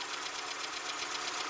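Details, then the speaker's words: Ford Capri XR2 (turbo) after head gasket job, warming idle: quick, even light valve-train ticking on top of engine note; cause unknown, owner not concerned. "valve noise ticking, other than that, I'm not really too concerned about it."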